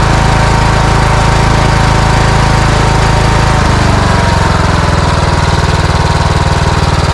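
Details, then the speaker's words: Cub Cadet riding mower with a Kohler engine, previously surging from fuel starvation, after a new air filter and a new secondary filter: loud, steady, even beat, a slight speed change midway, no hunting or popping; surging resolved. "okay so looks like we've got that resolved pretty simple fix"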